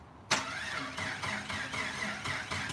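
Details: Rebuilt Jeep engine (old 4.2), battery charged to about 12.4 V, starting fluid tried during fuel test: starter spins the engine in an even, brisk churn, three to four turns a second, but it never catches; crank-no-start, ignition box or clogged injectors suspected.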